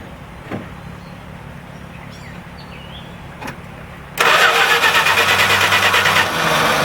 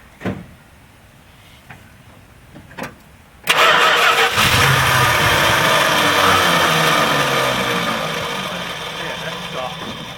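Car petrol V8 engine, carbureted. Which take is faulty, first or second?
second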